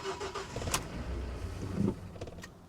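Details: Nissan Frontier truck at a salvage auction: starter spins the engine with a low, uneven churn for a couple of seconds but it never catches or fires; cranks, no start. Cause not confirmed.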